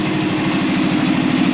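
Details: Arctic Cat Prowler UTV running after a coolant refill, with the air being bled out by running it and the thermostat still fitted: steady, even low idle with a smooth mid-pitched hum and no misses or knocks. Normal idle.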